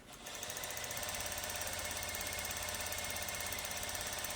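A sewing machine runs fast and steady, its bright rapid whirring even and smooth, winding the bobbin quietly.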